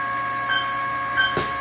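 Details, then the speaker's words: Haas CNC mill spindle at 2000 rpm, the gear-shift speed, spindle fan unplugged, gearbox hydraulic pump running: smooth even whirr with a steady high tone, no knocks or grinding. The spindle is running normally. "here at shift gear it's running pretty good let's go ahead and pick up the speed just a little it doesn't sound terrible"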